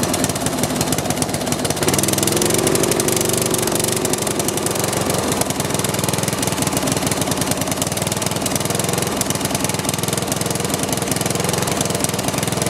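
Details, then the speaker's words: Snapper rear-engine rider with a 12 hp Briggs & Stratton, muffler full of oil and still burning off: ragged, uneven chugging at 3–4 beats a second with occasional misses; owner wants to fit the correct magneto to see if it stops the miss. "that muffler is just full of oil i'll let it run for a little while and see if it'll burn all that stuff off still burning a little bit and it does miss every every now and then"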